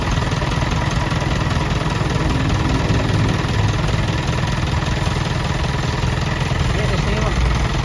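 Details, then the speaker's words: Selfloader truck power take-off after the pump was reinstalled: even low diesel rumble, no whine, grinding or rattle. The noise it made earlier, even with the PTO switched off, is gone. Normal PTO running. "so wala na siyang ingay mga ka kayab naririnig niyo naman"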